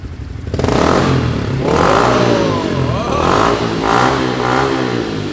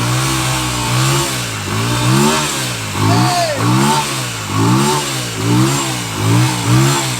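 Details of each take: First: Motorcycle with Yoshimura exhaust, warmed up after the high idle ends, blipping from idle through several sharp, crisp revs and dropping back smoothly; pulls evenly, healthy normal revving. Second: Motorcycle after long storage, jump-started from a jump box with fuel spilled out and the tank contents uncertain: uneven, lumpy running, revs surging and dropping every second or so with a buzzy two-stroke-like note; rough running after sitting.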